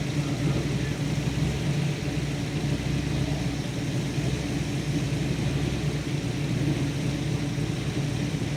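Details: 1970 XY Ford Falcon GT, first engine start after a 5+ year rebuild: steady low rumble at an even speed, no obvious knocks or misfires; engine running.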